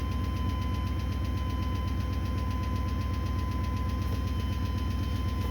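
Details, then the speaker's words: 1980 Chevy C30 rollback with an 8.1 L engine from a 2003 Silverado 3500, low battery, oil pressure present: sharp regular ticking over a steady idle; bad lifter tap, newly appeared, cause not yet found. "It's got oil pressure, but for some reason it's got a really bad lifter tap. And I certainly didn't hear that the other day."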